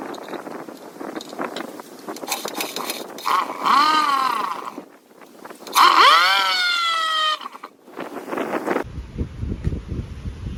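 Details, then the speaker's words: 1959 Johnson 5.5 HP two-stroke outboard after powerhead, magneto and carburetor rebuilds, test-run and fine-tuned: buzzy note sweeps up smoothly in two bursts and falls back cleanly, revving freely and healthily. "ah there she is Larry powerhead rebuilt Magneto rebuilt carburetor tested fine tuned Auto's great ready to ship back to Larry"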